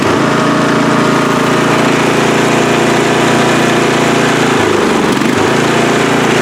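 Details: Free riding mower, engine test after gas tank was drained and fuel added; it was flooding and backfire was feared before starting. Small single-cylinder engine chugs at steady speed with one brief dip in its beat, then recovers: normal running.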